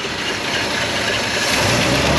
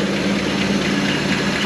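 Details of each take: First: 1956 Chrysler Windsor wagon, 354 Hemi V8 with PowerFlite 2-speed, arrived not running, just fired: slow loping beat about three pulses a second, no smoke; very low idle, roughly 200 rpm. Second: 1956 Chrysler Windsor wagon, 354 HEMI V8 with PowerFlite: very slow loping idle around 200 rpm, steady low thrum, no misses, knocks or smoke; running evenly.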